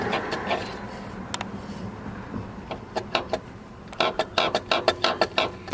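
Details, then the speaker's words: 2004.5 Dodge Cummins, engine off, with a coolant leak and lost power steering and brakes: rocking the pulley next to the alternator by hand gives sharp dry clicks from loose play, a failed water pump bearing. "crazy it's absolutely loose that means the bearing on it gave up and it's clear this must be the water pump"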